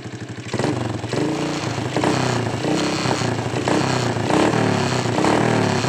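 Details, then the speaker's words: Honda Supra X125 restarted after repair and refitting its bolts: engine blips and settles with a clean, even beat and no sharp ticking, the earlier loud rattle gone and the valve train healthy. "Oke sudah selesai ya kita coba hidupkan lagi ya suara kemelitiknya hilang tuh"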